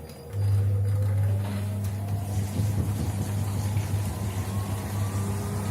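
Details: Gorenje W98F65I/I washing machine, 8 months in service: low motor hum with a thin whistle climbing in pitch as the drum speeds up, the drive belt squealing on the pulley.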